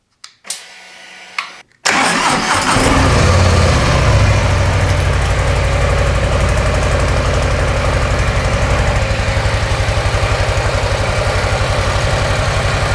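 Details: Brand-new 2024 Harley-Davidson Softail Low Rider S V-twin on stock exhaust, before TAB Performance 2.25" install: two clicks, short crank, then an even, muted loping idle; owner says it's quiet when lane splitting; normal idle.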